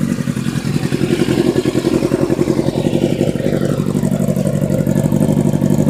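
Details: Katana project four-cylinder motorcycle, about 50,000–55,000 miles, with a Scorpion aftermarket shortened exhaust and K&N oil filter, started up: steady idle with an even, quick firing beat and slight exhaust rasp, smooth and regular. Normal idle.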